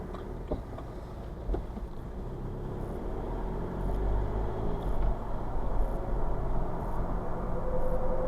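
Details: 2008–2011 BMW 1 Series E81 116d 2.0 diesel (N47 D20 A) with a faint, uneven tinny rattle about three or four times a second over a low drone. It happens when driving off cold below about 12°C and stops once warm. Garages and a smoke test found nothing; they suspect loose metal in the exhaust after DPF removal.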